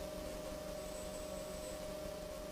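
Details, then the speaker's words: Tasty Chips ECR-1 synth module audio output with nothing playing: constant hiss with a thin steady whine, far too noisy; signal-to-noise ratio problem with this unit, likely to be returned. "so there is a problem with this particular module i probably will end up sending this back um basically there's a signal to noise ratio issue"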